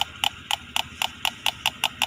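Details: Fuel-injected motorcycle injector test, fuel pump pressure at standard, injector spray still even and well atomized: crisp, even clicks about four a second with nothing else behind them; the injector pulses cleanly and sounds healthy.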